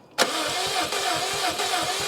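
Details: Subaru STI cranking on a jump pack: quick, even starter thumps at a steady pace with no catch; the engine spins but won't fire. Owner wants starting fluid. Cause not confirmed.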